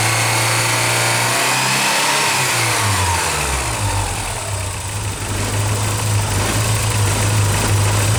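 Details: Early Porsche 944 with a leaky fuel pressure regulator: idle pressure off spec, failed leak-down test, rough idle and bad hot starts; the engine revs unevenly and stumbles as the throttle opens, with pressure dropping. A new regulator cured it.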